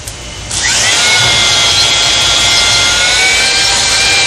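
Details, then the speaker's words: Honing an EMD locomotive cylinder liner with a drill motor (345–500 rpm) at about 30 strokes a minute to break the glaze. Steady, slightly lowered whine with even grinding underneath shows the drill straining slightly: correct stone pressure. "As the hone turns, if the pressure is right, you'll hear a steady grinding noise. Just hone long enough to break the glaze and be sure all of the surface area is honed."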